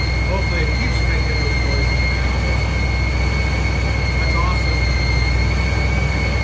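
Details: 1956 Ford F-100 with a Powerdyne belt-driven centrifugal supercharger after its failed internal cog drive belt was replaced; steady high whistle over deep even rumble, no slipping or chirp; normal supercharger whine.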